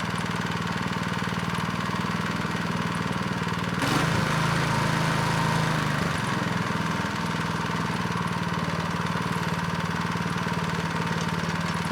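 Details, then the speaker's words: Neglected Craftsman snow blower 247.889571, restarted with belt cover removed: small single-cylinder runs evenly at steady speed, quiet, no scraping, one brief load change; the pulley/belt had been rubbing the cover. "well it ran pretty quiet this time with the cover off"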